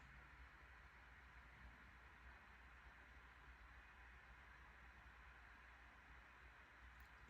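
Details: 2021 MacBook Pro 14" M1 Max 32-core, CPU (Cinebench R23) and GPU (Path of Exile) at 100% load, fans about 4200–4250 rpm, 94–95 °C, heard at user distance: soft steady airy whoosh, no ticking or rattle; normal full-load fan noise.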